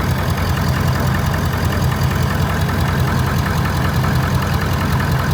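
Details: 6.7 Powerstroke diesel idling after a completed CCV reroute install: a steady, even diesel idle with light injector clatter and a deep rumble, no misses or knocks; normal healthy idle.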